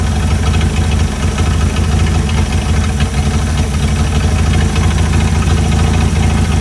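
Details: Chrysler CM Valiant Hemi 265 on its second start, idle set while fitting belts and radiator: deep, even, steady idle with a smooth low rumble and no misses or knocks; perfect idle, purring.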